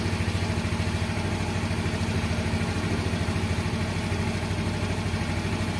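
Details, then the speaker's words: Yamaha X-Ride fuel-injected Blue Core scooter after throttle body cleaning and scanner reset: small single ticking over at a steady, even idle, about three pulses a second, no hunting or misfire; healthy idle. "Nah ya stasioner sip untuk stasionernya jangan terlalu tinggi jangan juga terlalu rendah Ya intinya pokok enggak matian"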